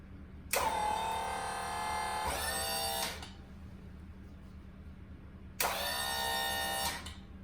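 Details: Pop-Up scissor lift bought at auction: two clean bursts of steady, even pump whine as it raises to the full-stroke switch and lowers smoothly without strain.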